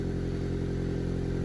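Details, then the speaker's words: Lowered ES1 Civic at idle after welding in a new exhaust pipe to fix a massive leak: steady low idle, much quieter, with an even fast puffing tick; small exhaust leak still audible. "you can hear the leak but it's nice and cool oh that's such a win"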